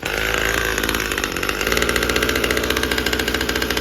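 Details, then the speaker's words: Husqvarna T540 XP Mark III chainsaw, acting up a month after a new fuel filter, cold start: rough, buzzy idle pulses and surges, then picks up; fuel starvation suspected. "It's free flowing. Um, I mean, no, that's not an air filter issue. It's starving for gas."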